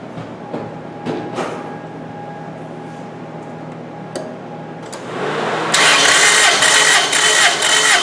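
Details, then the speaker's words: Engine cranking with spark plugs removed at wide open throttle for 5-second compression test: even, rapid starter chug about four beats a second, no firing; cylinder reads about 200 psi. "So you're going to put the engine in wide open throttle and crank it for 5 seconds."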